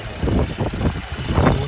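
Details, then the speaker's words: BMW with a misfire and no fault code: rough idle with uneven low thumps and a stumbling beat. ECU live data points to cylinder 2 as the misfiring cylinder. "हमारे पास आई आज गाड़ी BEd य missing कर रही है इसम missing का problem है मिस फायर है"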